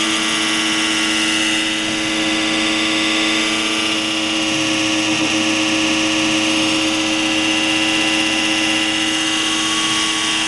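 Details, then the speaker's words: PowerSpec desktop PC with new Corsair CX750M 750 W power supply, cold start: loud harsh grinding drone with steady whining tones until the Windows screen appears, then quiet; same noise occurred with previous PSUs; cause unknown. "it started making that very loud noise and it's just until it gets to that Windows screen then everything quiets down right away"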